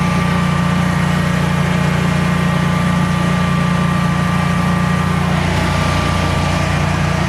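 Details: Generac Guardian 16kW standby generator running on gas after refurbishment, carrying close to 6,000 W of heaters: a smooth, constant drone holding speed without dips or hunting, healthy under heavy electrical load and not hesitating.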